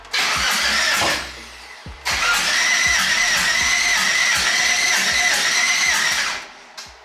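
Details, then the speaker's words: Twin-turbo LS-swapped Mustang after a BTR stage 4 cam install (274/280 duration), with the fuel pump priming. Two cranking bursts with a steady starter whirr and even compression pulses but no firing: crank no start from cam timing off a good amount. "uh hopefully it starts still nothing what the hell's going on so i tore everything apart real fast and i was off timing uh a pretty good amount"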